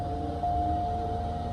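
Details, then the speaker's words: Toyota Avalon idling at an insurance auction: a steady mid-pitched whine holds over the engine throughout, coming from a noisy cooling fan; cause not determined. "Whoa. Okay, we hear that fan making a noise."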